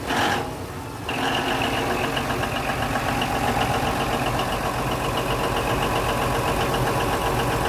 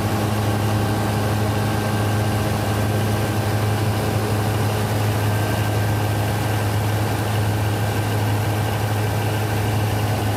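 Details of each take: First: Denyo DCA610SPM generator cranking steadily with uneven pulse about four per second but never catching; magnetic pickup tested good at 1.3–1.4 ohms, wire harness suspected; crank no-start. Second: Denyo DCA610SPM diesel generator that wouldn't start, running after checking the magnetic pickup (1.3–1.4 ohms) and its wiring: steady, even diesel drone with a smooth low hum and no knocks or misses; idling normally.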